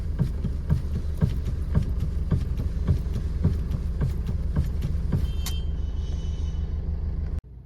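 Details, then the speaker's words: 2013 Maruti SX4 diesel, about 2 lakh km: steady idle with dull clunks about three per second as the steering is turned side to side while stationary; worn steering rack bush, also knocking on rough roads from left side. "ഇതാ കണ്ടില്ലേ vehicle start ചെയ്തിട്ട് നിർത്തിയിട്ട് സ്പീഡിൽ ഒന്ന് അങ്ങോട്ടും തിരിച്ചു കഴിഞ്ഞിട്ടുണ്ടെങ്കിൽ ഒരു സൗണ്ട് വരുണ്ട് റാക്ക് ബുഷ് പോയതാണ് കേട്ടോ"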